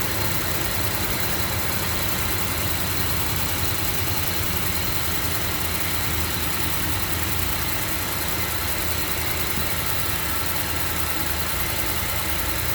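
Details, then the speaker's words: 2008 Range Rover, 169k miles, morning cold start: raised cold idle with a fast, light tick-tick-tick that persists after rpm drops and the fan turns on; source of the tick not yet identified. "And I guess the fan turned on. And it's that tick, tick, tick, tick, tick."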